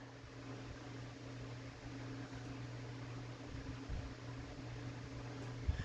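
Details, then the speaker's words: Old ornate Jacksonville Vicksburg ceiling fan with stack motor and rubber flywheel, variable speed turned down slightly from high: very quiet steady low hum with soft air rush, no clicks or wobble; normal running. "Moves a good amount of air. Like I said, that's high. Very, very quiet, as stack motor fans with rubber flywheels tend to be."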